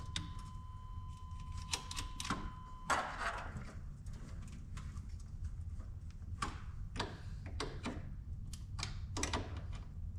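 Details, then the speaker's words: 1991 GMC Suburban with a 5.7 TBI, sitting about ten years, fresh battery fitted, engine not running: steady high beep for about three seconds over clicks; key-in-ignition warning chime loud enough to mask listening for the fuel pump. "okay so basically I don't hear the fuel pump kicking on at all but I can barely hear anything over the key being so loud"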